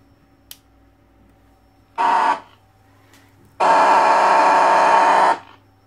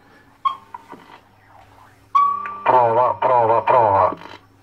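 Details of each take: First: Alan 48 BSX / Midland 7001 CB radio with replaced VCO and crystal, audio output stage isolated: loud steady mid-pitched self-oscillation howl in three bursts with quiet gaps; cause unconfirmed, audio howl. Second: Alan 48 BSX / Midland 7001 CB radio after VCO replacement, previously weak transmit output with siren-like squeal; fixed by moving a resistor that touched an anchoring point, now clean speaker audio with no self-oscillation; low (below-zero) channels still not working.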